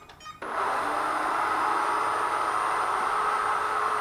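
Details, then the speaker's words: ILIFE V7s Plus robot vacuum after repair of error 4 (four beeps, main brush not turning); cleaning alone had not fixed it: short start-up, then a steady even whir with no grinding; main brush spins, runs normally. "yes the main brush is spinning if no other bugs show up this has been a successful repair"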